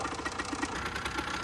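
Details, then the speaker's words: 2008 Rieju RS50 Matrix two-stroke, 6,800 km, runs hot, owner suspects rich, oily mixture, some starting issues: crisp quick putter, evenly spaced firing, no misses; normal running. "Bike right now runs great. A little bit of starting issues."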